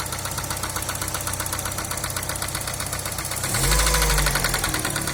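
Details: Daewoo Nexia: sharp regular ticking knock about four per second riding over the idle and not fading; engine knock, cause unknown.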